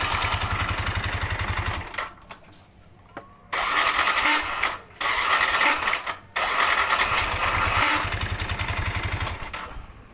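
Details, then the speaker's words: Yamaha NMAX with a rough-starter complaint: harsh grinding starter cranking in short bursts, a rough throb about four times a second under a loud rasp; the fault is traced to the starter motor, which is removed and disassembled. "Oke bisa didengar bunyi starternya sangat kasar jadi ini kita cek dulu bagian dinamo starternya"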